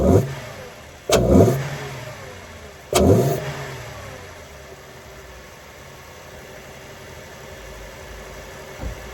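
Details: Car started after reinstalling a cleaned K&N air intake filter: catches, two quick clean revs, then settles to an even idle with no knocks or rattles; sounds healthy.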